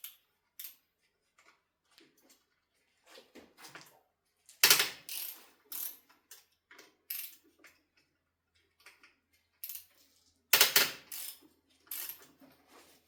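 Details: Ducati Monster 1100 during steering head bearing service, fork pinch bolts on the steering stem being undone: sharp uneven creaks and cracks in short bursts as each bolt gives way; over-tightened, dry, poorly lubricated pinch bolts.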